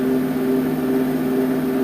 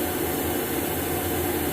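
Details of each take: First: Wood gun furnace blower, original fan motor after new front and rear bearings: steady whirr with a faint constant hum, no grinding or rattle; slight harmonic, owner suspects imbalance, quieter than before. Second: Woodgun combustion fan, original motor rebuilt with new front and rear bearings: a steady, even whir with no wobble, rattle or rising tone, smoother than the new replacement assembly's harmonic sound.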